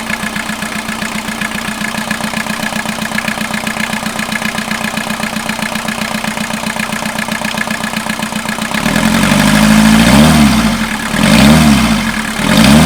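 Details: 1989 VW Jetta mk2 diesel, 5-speed, about 118,000 miles, revived after sitting about 14 years, on new fuel and a new battery: steady idle clatter at about four pulses a second, then clean revs rising and falling; healthy.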